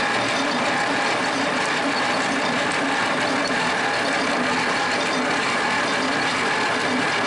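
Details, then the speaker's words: Worthington tractor, thought to be a 1947, with a Chrysler industrial 218 flathead six, sitting for decades, on its first start attempt: long steady cranking with no firing or catching. Low compression and lack of vacuum are suspected, possibly from sticking valves. "Okay, folks, we're having trouble getting this thing started. I don't think we've got enough compression."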